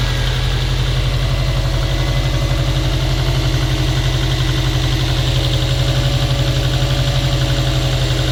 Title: стук мотора "на холодную"